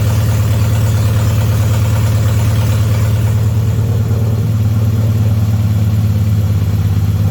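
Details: BMW 316i E46 idling after four and a half years off the road, following clutch, flywheel and engine reinstall, with no exhaust fitted: very loud, deep, unmuffled steady idle pulsing about three beats a second, smooth and even. Engine healthy.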